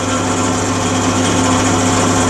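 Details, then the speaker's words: SIP MIG welder after control-board capacitor repair, just switched on: loud steady buzzing hum with droning low tone and constant whirr from the cooling fan; noisy cooling fan. "yeah as soon as i turn this this um welder on it's make a bit of noise"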